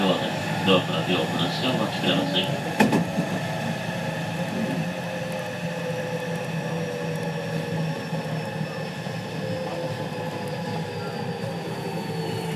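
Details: JR West 207 series 1000 T17, recorded aboard KuMoHa 207-1037 (Toshiba GTO inverter), Tokuan–Kōnoike-shinden, iPhone 5s: whining tones drift in pitch and clash, as the Nishi-Akashi/Shin-Sanda-side inverter modulation is out of step with the Kyoto/Kizu side.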